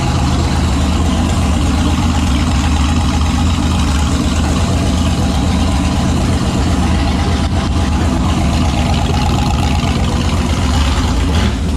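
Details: Turbo 5.3 LS V8-swapped Mustang, naturally aspirated startup after correcting reversed injector harness wiring: deep, steady low rumble with an even beat and no knocks or misses; idling smoothly.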